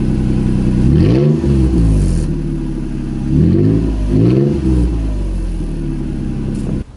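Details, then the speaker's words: 2nd-gen Toyota Tacoma revved with the exhaust completely unbolted at the cat pipe joint: loud, raw, throaty, unmuffled blips rise and fall with each rev; exhaust disconnected at the joint. "but before we do that i need to get a sound clip of this completely unbolted and show you guys why i kept unbolting it so much when i first got this truck because it sounds amazing"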